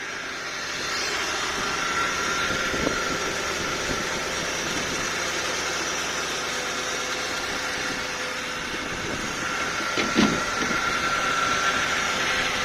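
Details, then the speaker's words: 1992 Lexus LS400 1UZ-FE V8, low mileage, cold night, after fuel pump replacement and injector earth fault fixed: smooth, quiet, even note with a brief light throttle blip; normal revving. "there we go smashing very happy very very happy"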